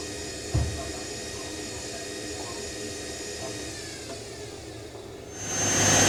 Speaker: On the final spin showing some of the weight, you notice as well programmed. It does that small um distribution acceleration before it goes to spin.